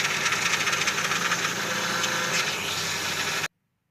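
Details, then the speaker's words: 2008 Mazda 6 MZR-CD diesel wagon restarted to move it: a harsh, hissy tac-tac clatter from the power steering pump starved of fluid, with jerky steering. A sensor blew off, turning a small leak into torrents of fluid. "Et en fait, la pompe de direction assistée faisait ce bruit horrible. Quand on tournait le volant, ça saccadait."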